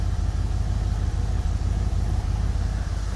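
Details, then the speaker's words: Old car idling after an oil change using a 3D-printed drain plug seal: an even, low idle rumble with a steady beat and no knocks or ticks. It blows a little smoke; the owner suspects worn rings. Normal idle. "I mean, it sounds really good."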